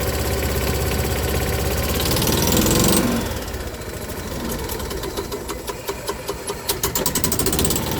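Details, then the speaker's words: Small engine restarted cold, cold-blooded; fires and settles into uneven chugging idle around two hundred beats a minute, rough while still cold. Cold start rough running. "this thing's definitely cold-blooded same with the ford it's next"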